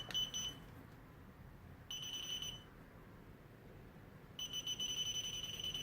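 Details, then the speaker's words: Pinpointer probe false-signalling: high, piercing beeps start and stop in uneven bursts with no target nearby. "if it starts being erratic just press"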